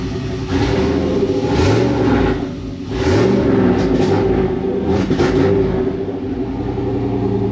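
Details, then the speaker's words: 1999 Chevrolet Silverado 1500 with turbocharged 4.8L V8 (235k miles, 862 heads, stage 1 cam, Deka 80 injectors) on first start with base speed-density tune: revs cut up and stumble around 2,000 rpm, cleaning up above that; tune still needs work. "Cuts up a little bit around 2,000, but cleans up above that."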